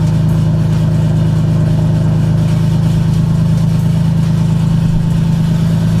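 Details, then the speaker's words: Lexus IS300 after sitting two months: deep, even exhaust hum at steady idle, no misses, knocks or ticking; owner says it sounds healthy. "only issue I guess was getting it to started really that she sounds healthy she sounds good"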